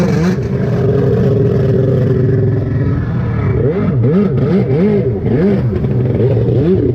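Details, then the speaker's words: Rebuilt two-stroke Yamaha jet ski after carburetor tweaking: revs unevenly, pitch surging and sagging with no clean pull on throttle blips, cranking poorly; running worse than three weeks earlier, cause unknown. "All right, we've tweaked on the carb some more. Let's see if it's running better cuz it is not running as good as it did the other day."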